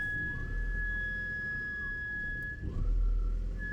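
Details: BMW X5 E53 3.0 petrol, warm engine: steady high-pitched whistle at idle that comes and goes, vanishing with slight revs; idle then hunts. Belts replaced, cause still unknown. Intermittent whistle at idle.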